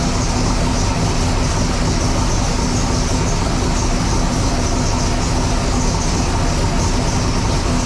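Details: Sick Seconds 1.0 copper Camaro drag car, first fire-up after being freshened up and reassembled: loud, dense, even roar held steady, no knocks, misses or rattles; normal running.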